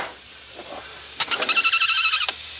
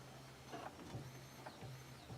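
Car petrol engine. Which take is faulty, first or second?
first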